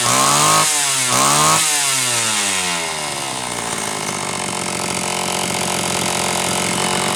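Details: Homelite Super XL chainsaw (brought in for boiling fuel and overheating) on test run after starter spring fix and replacing a bad new spark plug; two throttle blips then even full-throttle scream, no sagging; high side set slightly rich on purpose to warm it up; runs strong.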